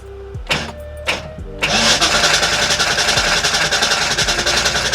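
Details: 1989 Ford Mustang GT after sitting over 10 years, fuel flowing through rail, oil pressure built from cranking: quick, fairly even starter churn about 3.5 beats per second, never catching; crank no start from dirt-clogged fuel injectors.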